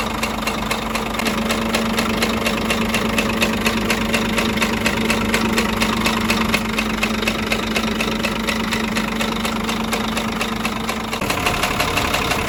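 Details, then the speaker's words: Scania DC13 truck diesel at idle with a sharp, regular metallic tapping, about two a second, traced to cylinder 5. Camshaft undamaged; the knock came from broken, unbolted rocker arms moving freely and marking the cover. "Сам распредвал не поврежден, в хорошем состоянии, но стук у нас исходил именно от того, что у нас поломано и не прикручено вот эти коромысла, и они свободно гуляли в этом двигателе."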